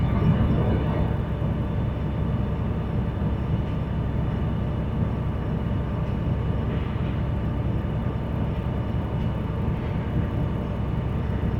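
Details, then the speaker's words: School bus diesel at high idle during the brake check: a dense, steady rumble with no knocks or rattles while the compressor builds air toward 120–140 psi cutoff. Normal. "Now, to continue on, we're going to start the bus, and we're going to make sure we're going to build pressure up to 120 to 140, and we're going to listen to the cutoff. Again, my high idle is applied to help it build pressure quicker."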